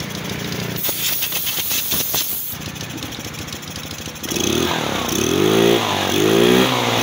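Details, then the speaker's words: Motorstar Easy Ride 150 after auto choke fix: vent hole covered with cut can and auto choke refitted; earlier had no idle, high idle then stalling, heavy fuel use. Steady idle beat, then clean rises and falls with blips, no stalling; idle holds, revs respond. "so Ayun may Menor na siya at may hatting testing testing testing Ayos na interes na"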